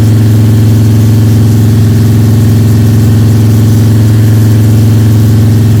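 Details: Freshly built Ford 302 Cleveland V8 with Holley Sniper and new electronic distributor, first start, fast idle for cam break-in (~10–15 min), timing around 31°: smooth, even deep drone, no ticking or rattles; engine running sweetly, normal high idle.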